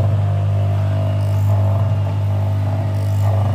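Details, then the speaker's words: Lab single-phase induction motor, AC voltmeter set to 200 V, self-starting: steady low hum, even drone, no knocks or rubbing; normal running. "Oke, baik, motor induksi satu fasa bisa bergerak dengan sendirinya, di mana motor induksi satu fasa ini akan dikoppel dengan unit brake mesin."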